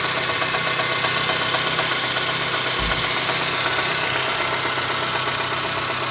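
Idle with a steady, fairly even tapping at about four per second over bright clatter; a knock at idle, cause not yet pinned down.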